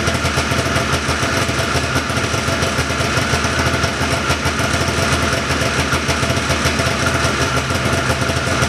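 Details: 1979 John Deere Cyclone 340 vintage snowmobile two-stroke after carb cleaning, no airbox or filter fitted: crisp buzzing idle holding even and steady, slightly fast but clean with no misses; idling pretty good, could use slight adjustment; normal idle.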